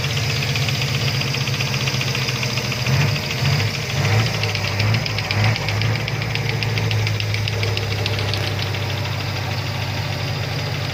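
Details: Toyota Avanza 3SZ engine knocking at steady idle: a sharp, ticking knock on each engine revolution, clear over the hum; cause unknown.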